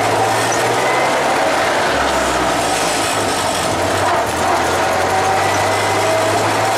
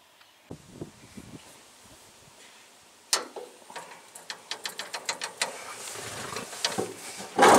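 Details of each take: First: Traditional hot rod "Doris", run after manifolds and radiator were refitted and water and oil added: a loud, steady rumble with no knocking or misfire; the engine runs evenly. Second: Traditional hot rod's old engine, progressively damaged and barely run for ages, started for one last run before removal and replacement; after a few seconds of cranking clicks it fires into a loud, ragged, clattery rattling idle; burnt valve.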